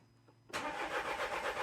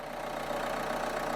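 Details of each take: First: 2013 Renault Scenic III 1.5 dCi (K9K636) after four new injectors: two cranks of about three seconds each, steady even turnover at about four beats a second, never catching; fuel rail pressure is clearly too low to fire. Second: 2013 Renault Scenic III 1.5 dCi (K9K636) after removing ball bearings left in the fuel rail. It starts and settles into a steady diesel idle with its usual light clatter and no misses or hunting.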